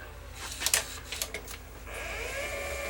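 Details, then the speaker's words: Sony EDV7300 ED Betamax recorder testing modes (fast forward, search, Beta skip, rewind): a few light mechanical clicks, then a smooth rising motor whirr as the tape spools back to full speed; transport mechanically working well. "Yeah. Beta skip the picture back to full speed. Yeah. Mechanically she is a working good."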